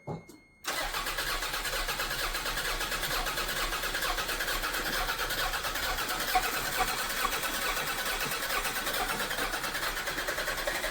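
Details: Toyota MR2 classic restoration, first start after fuel pump and relay testing: the starter spins briefly, then the engine catches and holds a steady, even run with no knocks or misses; it starts fine.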